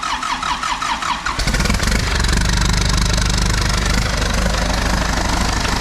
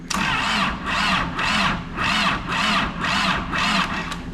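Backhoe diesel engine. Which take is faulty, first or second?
second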